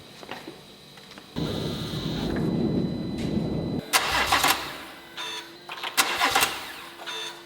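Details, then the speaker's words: BMW 118i with B58 M140i engine conversion, cranked on a booster with the fuel system not yet connected: steady starter churning about two and a half seconds, no firing, then clicks and clatter; crank no start, no fuel supply. "guys I've cranked it three times but like I said the fueling system is not connected so the car is not going to start"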